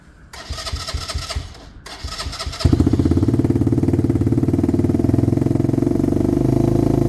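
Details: HMC 125cc single-cylinder motorcycle, quick test run before the first test ride after a valve fix, exhaust still needing sealing gum: cranking bursts, then catches and settles into an even putter; starts and idles cleanly.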